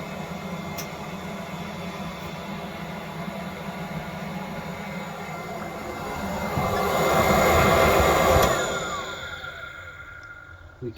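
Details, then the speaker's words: Propex Heatsource HS2000/HS2800 LPG space heater in a van, switched to flame setting: blower whooshes up then winds down with no spark ticking and no flame lighting, unit shutting off with a fault; fixed by cleaning and service. "can hear it come on but I can't hear the ignition but I can't hear the spark for the ignition because on this particular van should make a ticking noise and then you should hear the flame which is inside of that heater light up"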